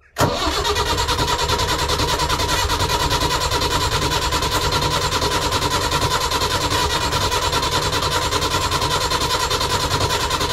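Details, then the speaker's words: BMC 1.5 diesel on a narrowboat, first start after removing and refitting the worn diesel injection pump; short crank, catches at once and settles into an even, regular knock of about two or three beats a second, a clean, healthy start and idle. "these bmc engines can be tricky but i've done it loads of times let's see if she fires"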